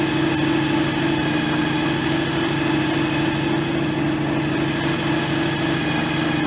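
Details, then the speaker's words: John Deere X738 lawn tractor after its 50-hour service and transaxle oil check, restarted to purge air: steady, healthy idle hum with no whine from the drive, so it runs normally; steering feels slightly stiff. "It sounds like it runs fine. Doesn't sound like it's anything's whining or anything like that."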